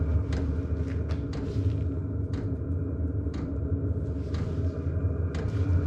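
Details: Cheap Chinese diesel heater just installed in a 2006 Nissan Frontier, first startup: low steady combustion rumble with faint fuel-pump ticks; burner lit, glow plug still on before the fan speeds up, running normally.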